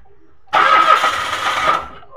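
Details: Mitsubishi Mirage automatic: about a second of even starter cranking without catching; cranks but won't start, no fuel coming out of the fuel line though spark plug is new, fuel pump suspected.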